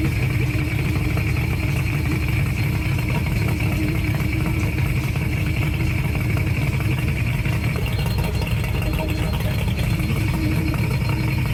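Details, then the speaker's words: Mercury 2-stroke oil-injection outboard idling on water muffs after an oil reservoir cap replacement: a steady high-pitched low-oil warning tone. It stopped once the reservoir was topped off with 2-cycle oil and the engine was revved. "Hasn't stopped beeping yet, so let's check and see if the reservoir is even filling up."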